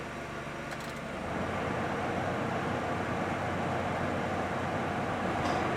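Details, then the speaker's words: 2009 Honda Civic 1.8 16V idling after throttle body cleaning and adaptive reset; AC compressor kicks in about a second in, tone thickens but revs hold steady without hunting; stable idle with AC compressor engaged. "Ó, ligou lá o compressor. Aqui ele demorou a ligar porque o ar dele tá gelando horrores."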